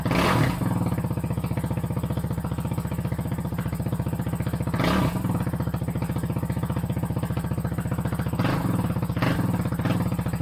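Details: 2008 Kawasaki KFX450R sport quad, sat unused and would not start, running on its original fuel injector: fast, even single-cylinder thumping with loud exhaust bark, no misses or knocks; exhaust baffle possibly taken apart. Normal idle.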